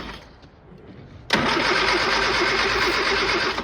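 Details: Old Austin Mini Cooper after ignition rewiring: after a click the starter churns steadily at about three beats a second for two seconds but never catches. Crank, no start; timing or burnt points are suspected.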